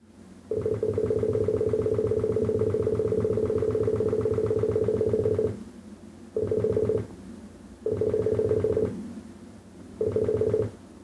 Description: Weird beeping sound from my computer every time i do anything with the mouse